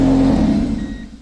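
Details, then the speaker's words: Acura Integra engine started after new injector O-rings, running open with no headers/exhaust manifold fitted: harsh, raw blare as it revs then drops, far louder than normal; manifold to be fitted next. "Wow no headers is really loud I kind of want to hear it run for a little longer"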